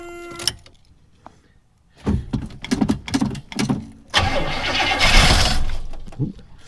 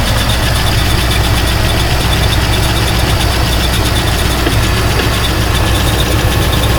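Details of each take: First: Buick estate car off the road since 2009, about 13 years sitting, cold start in snowy weather: short cranking bursts, then a longer crank that almost catches and sputters but never settles into running. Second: Buick estate car V8 off the road about 13 years since 2009, just started cold, now warming up: deep, even burble at a steady idle with no misfires, ticking or knocking; the engine is running well.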